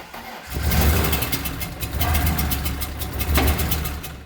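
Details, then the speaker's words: BMW E30 first start: cranking engine catches with three loud chuffs about a second apart, backfiring through the intake; the cause is a disconnected vacuum line on the back of the intake to the idle control valve. "Why is it backfire? True to intake. All right, so I figured out what my problem was when I fired it up. You have to connect the vacuum line that goes like right about there on the back side of the intake for the auto control valve."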